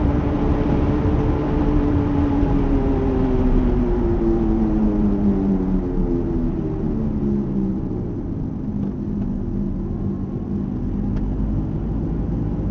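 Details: Mercedes R170 SLK, dying wheel hub bearing: droning hum whose pitch slides down as the car slows, over low road rumble.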